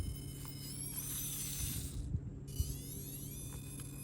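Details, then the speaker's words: Castle Sidewinder Nano brushless ESC in a 1/24 crawler truck that couldn't be tuned properly: a high, thin whine rising and falling with throttle over a low hum, the typical Castle whine, and crawling is hard. "I can't believe they came out with a new system that does not silence that. The good old Castle whine."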